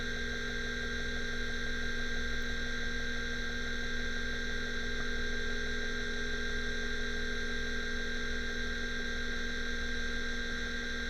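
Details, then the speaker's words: Seagate ST-225 MFM hard drive during low-level format/initialisation: steady whir and hum with soft regular knocks two or three a second; drive has several bad sectors, many on head two, some on head three. "as you can see on screen this drive as I suspected has several bad sectors"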